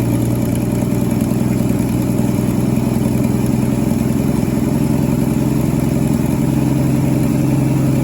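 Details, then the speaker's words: 1963 Ford Falcon Futura, 170 inline-6, parked 25 years, with new carburetor, at idle with 40+ psi oil pressure: loud uneven lumpy beat; running way rich, cleaning up as mixture screw turned in. "Seems like it's running rich to me. I'm going to go in on the mixer screw until it stumbles. Yeah, it's cleaning up. Way rich. Yeah, no wonder it's running so rough."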